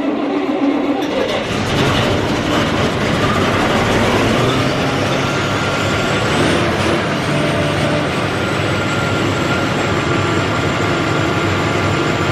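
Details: Massey Ferguson 40 diesel combine, about 1996, sat 3 years, after fuel system bleeding and restart: loud steady roar with no stumbling or knocking, running on its tank, slight smoke from disuse; normal diesel running.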